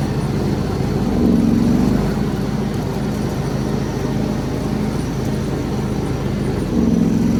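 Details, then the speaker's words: Warm John Deere X340 riding mower started with choke, mowing; steady drone that sags and labours under load then recovers. Bogs and intermittently stalls despite carburetor rebuild, new fuel pump, ECM, plugs, filter; ignition next suspect, cause unknown. "Yes, maybe it was a little under more of a strain, but I've tried this in other ways, and it doesn't seem to be the power demand issue. But it slows down."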